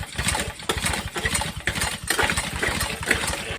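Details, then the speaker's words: Free pressure washer after a heavily gunked carburetor was cleaned, tried on old fuel: several uneven pull-cord cranks, short chuffs that never catch; no start, owner suspects it needs fresh gas, and it later starts on fresh gasoline. "Yeah, it didn't start. I think we're gonna need some gas."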